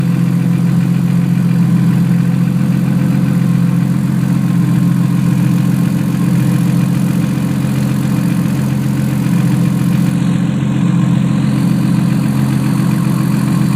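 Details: Idle with faint quick puffing tick, about three or four a second, during check of fan operation; small exhaust leak at the turbo flange.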